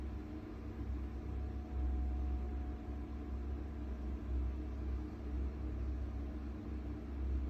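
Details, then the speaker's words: Worcester Bosch 30i ErP gas boiler, about five years old, firing with a deep, heavy rumble that surges and fades. The customer reported loud banging and switched it off. Cause: the air intake silencer at the back was missing, likely fallen off or not refitted. "Customer says boiler's making a really loud banging noise and they've had to turn it off, so let's see what we can hear."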